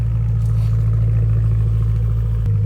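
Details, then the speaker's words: 2011 BMW M3 after a jump start from a storage-drained battery, IP exhaust with stock midsection and valves open: a deep, steady low rumble at idle with no rattles, drone or misfire. A normal, healthy exhaust note. "so this is now the IP exhaust with a stock midsection valves open I don't have the valve on me so I can't close it"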